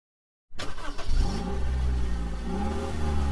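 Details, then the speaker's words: VAG 1.4 TSI engine (code CAXA) cold start: brief crank, fires into low idle with loose rattle; stretched timing chain, fix is chain and tensioner replacement. "Here, look, well, we already have the 1400 tsi here with the noise of the distribution of group B."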